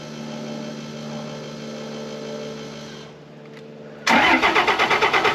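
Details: 2005 Ram diesel with 5.9 Cummins, after replacing FASS lift pump filters and cycling the pump: starter cranks evenly, about three compression beats a second, but never catches. The filter was found low on fuel, so the pump is either not pumping or can't keep up; a wet spot was seen near the body mount.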